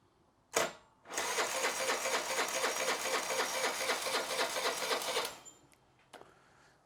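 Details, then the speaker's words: Honda Elite 80cc scooter right after a carb rebuild kit (new o-rings, idle jet at 2.5 turns out) on a charged battery: the starter cranks steadily about four beats a second for four seconds without firing; it cranks but won't start yet. "all right let's try our old trick let's see if it finds a hole okay it didn't find a hole that's actually a good sign"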